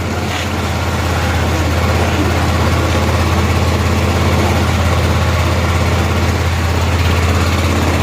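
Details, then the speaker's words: 1988 Club Car golf cart, 8.5 hp Kawasaki engine, barn find: governor disconnected, idle raised, idle mixture screw backed out considerably, in gear, warming up; steady low putter about three beats a second, even, holding speed on its own, a clean healthy idle. "we had to back the uh the idle mixture screw out quite a bit evidently we're in gear it's running"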